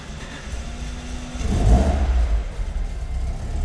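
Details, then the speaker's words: Alfa Romeo 105 with carburettors, cold start: oil primed by cranking, accelerator pumped four times, about 10% pedal while cranking; brief cranking, then it catches with a surge into a low, slightly uneven cold rumble; a clean start. "Ensuite j'appuie 4 fois avec ce rythme-là à peu près sur l'accélérateur. Et ensuite, je peux actionner le démarreur."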